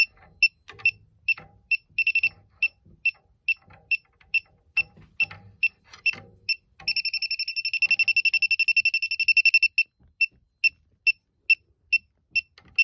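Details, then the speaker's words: Elitech WJL-6000 refrigerant leak detector at a spot where soap bubbles show a known leak, especially after system shutoff: high beeps twice a second rising to rapid continuous chirp, then slowing; alarm at leak. "i don't know if that's what the detector is picking up because that's where i see a leak whenever i spray the bubbles there"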